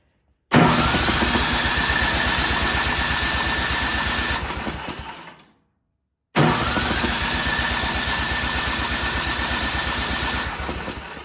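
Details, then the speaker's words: Ariens snowblower that sat in a barn for several years, cranked with key out to move oil: two even five-second cranking spells, no scraping or clunks; may have pulled some gas into the cylinder; normal cranking. "Sounds pretty good. Hopefully I didn't pull too much gas up in the top of the cylinder."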